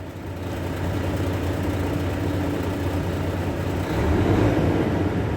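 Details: Volvo truck after air dryer leak repair, started up at idle: steady low diesel drone with compressor thumping evenly, slight lift in load, no leak hiss; pressure building normally toward green.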